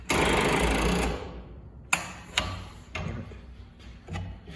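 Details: 1985 John Deere 210 tractor, hard to start, runs poorly, needs new points, fuel possibly drained: about a second of quick starter whirring then scattered clicks; turns over briefly but won't catch, cause not yet known.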